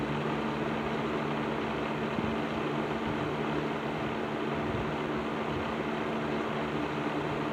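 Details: After servicing, Patton 12-inch box fan (black Patton-branded Fasco motor) on low speed in a window: steady even hum, smooth airflow rush, faint light rattle; still slightly rattly but much improved, running normally.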